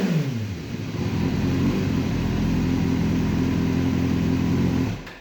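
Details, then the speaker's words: Rebuilt 2005 Kawasaki Ninja 636, sat in a shed for years, with Yoshimura exhaust: fires up cleanly, settles into a smooth even rev with a crisp exhaust note, then shuts off; engine healthy. "i'm going to fire this bike up right now for you guys so you can hear what this thing sounds like"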